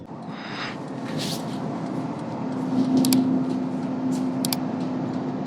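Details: 2015 Porsche Panamera GTS, 36K miles, parked 5 years, running: steady mid-pitched motor hum drones with a few sharp clicks; rear spoiler drive failing.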